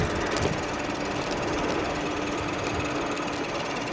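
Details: iScooter DX5 Pro seated electric scooter with 2000 W hub motor, while riding: rapid light ticking with a faint thin ring that repeats with wheel speed; front rotor rubbing the brake.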